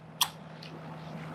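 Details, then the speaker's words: 4-pin relay, battery on coil while a meter reads resistance across pins 30 and 87: one crisp click as the coil pulls in, reading drops from OL to near 0; contacts switching normally. "And so we will put the battery on here to click it, and you should see that turn to something near 0."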